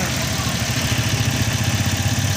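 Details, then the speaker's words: Toyota Vios that dies after starting and smokes heavily: just-restarted engine idles unevenly, lumpy and faltering, misfiring; cause confirmed as contaminated gasoline that doesn't evaporate. "Kapag umandar siya mausok umaandar siya mausok palyado humahagok"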